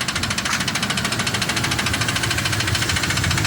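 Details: Recently bought Ford F-150 at idle with a sharp, loud, metallic knock at about 160 per minute; internal engine knock, cause not identified.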